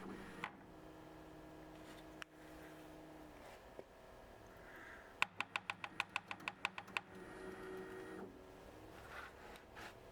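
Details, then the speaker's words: Bambu Lab H2D 3D printer during monthly maintenance: bed height change produces quick run of sharp crackling ticks from debris on dirty Z threaded lead screw, cleaned with isopropyl alcohol until noise stops. "Si hay suciedad en las roscas, puedes oírla como un sonido crepitante cuando cambia la altura de la plataforma."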